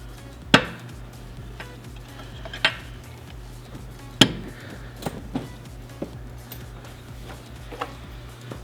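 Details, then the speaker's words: 2010 Kia Forte Koup 2.4 liter with rod knock, engine off, struck with a rubber mallet: irregular blows with a sharp metallic clack. Metal-to-metal contact shows rod bearing slop in cylinder three, possibly a spun bearing. "when we hit it with a rubber mallet and we'll be able to hear it now you don't need to go crazy with this but if you listen closely you'll hear metal to metal contact"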